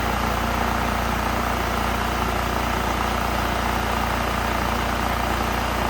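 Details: Honda EU3000is inverter generator that smoked and made no power from a stuck choke running very rich: after choke fix, steady even drone with no misses, knocks or surging.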